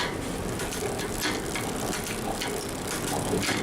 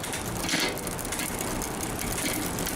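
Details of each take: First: Newly built mountain bike with a SRAM X7 rear derailleur after B-screw adjustment: quick crisp clicks as the chain steps across the cassette gear after gear, with no grinding or chatter; shifting cleanly and quietly. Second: Newly built mountain bike with a SRAM rear derailleur, before adjustment: steady dry ratcheting chatter from the cassette when shifting and pedalling, because the upper pulley sits too far from the cogs; the fix is adjusting the B-screw closer.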